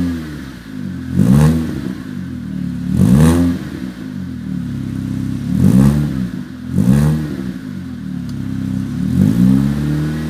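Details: Ford Fiesta Mk7 with Borla exhaust, after exhaust leak repaired with silicone gasket: five clean blips rising and falling back to steady idle, deep even exhaust note with no puffing or ticking; sealed exhaust.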